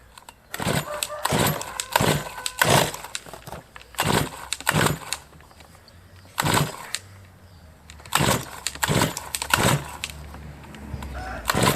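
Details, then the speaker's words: Brush cutter started after winter with fresh fuel, primer bulb pumped, already hard-starting since autumn: repeated recoil pulls, each a brief sputtering catch that dies out; hard starting. "Після зими таке часто, хоча скажу, тут конкретно цей цей ще підлючував з осені, то він ще тоді тяжко заводись."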